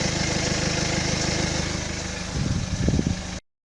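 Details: BMW 320d E91, 02-2012, 185,000 km, N47D20C diesel: steady idle, then a brief uneven rattly flutter as revs fall from 2,000 rpm back to idle; strange noise, cause unknown.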